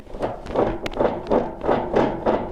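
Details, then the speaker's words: Belt-driven Maytag MAV6451AWW washer that won't agitate but spins: rough clunks about three times a second when the agitator is turned by hand; a stripped agitator is suspected, transmission also in question. "that noise so it could be our agitator that's stripped"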